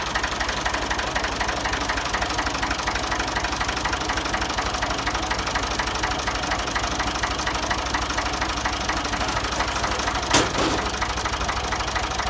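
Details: Ford 2000 tractor, sat unused for an unknown time, just started easily: steady, even diesel clatter at idle with a regular beat and no misses or knocks; a healthy engine.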